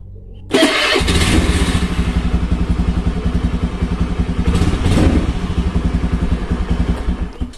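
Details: Carbureted Honda Beat scooter, after repairing a dead starter and weak front and rear brakes and refitting the body covers: the starter catches at once, the engine blips up and settles into an even idle. Starting is normal.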